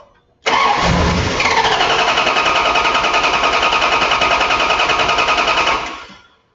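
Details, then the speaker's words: Starting system test with fuel pump relay removed: strong, even starter cranking at about three and a half turns a second, brief catch then dies; normal cranking speed, 10.95 V cranking versus 12.28 V resting, no starting system fault. "our cranking voltage was ten point nine five the cranking speed was totally normal we don't see any problems with this starting system at all"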